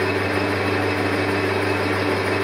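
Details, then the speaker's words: Colchester Triumph 2000 lathe turning a long paper-bag-machine roller shaft without a steady, slow feed with sharp tool: steady low hum with rough even buzz over the cut; heavy vibration and chatter, likely from unsupported work. "yeah if you could hear the vibration going on I don't know if we can see that"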